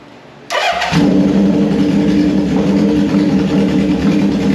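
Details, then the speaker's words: 1974 Honda CB750 four-cylinder on auxiliary fuel tank with unbaffled straight pipes: starter catches at once, settles into a loud, deep, steady burble idle with no misses or knocks. "these are straight pipes there's no baffles in it so this is a headphone alert if you've got headphones on turn it down right now I'm going give you a couple of seconds turn it down right now because it is loud here we"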